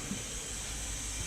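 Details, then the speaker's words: Turbo 265 Centura, boost leak test with homemade tester, engine off: steady airy hiss of escaping pressurised air; one small leak, owner suspects methanol fitting. "so that's that's just one one small leak there and you can probably hear it more here I don't know whether that's that may be coming out of the the methanol fitting"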